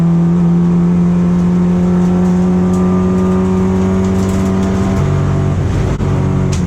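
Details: BMW E36 racecar on track: strong steady drone that stumbles and drops briefly around six seconds, misfire/hesitation slowing lap times to 2:01-2:02; fuel supply issue suspected, not confirmed.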